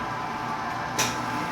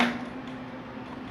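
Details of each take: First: Italian-style soft-serve ice cream machine that had only hummed without starting, now repaired: a short click and surge, then a steady low mains hum as the compressor starts normally and begins cooling. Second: Soft-serve ice cream cone machine, Italianinha brand, production motor switched on: steady low hum with no run-up or spin; stalled motor buzzing but not turning, later traced to a missing phase from poor supply cable contacts.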